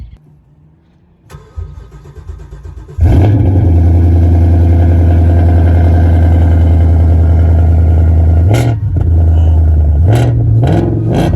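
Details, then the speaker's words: 2018 Ford Mustang GT 5.0 from Copart auction with resonator and mufflers removed: starter catch, then deep thundering idle with steady low burble and brief blips, very loud but even. "They took out the resonator and the mufflers. They're not stock anymore. They changed them. The car is very loud."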